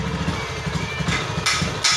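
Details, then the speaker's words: Honda Beat ESP injected scooter, no MIL fault blink, fuel pressure 38–40 psi; near idle the beat is uneven and popping, and throttle brings a severe stumble and stalling instead of rising revs. Suspected TPS, fuel pump or clogged injector. Engine bogging on throttle. "nah seketika gini kita gas ngambek nggak mau ya"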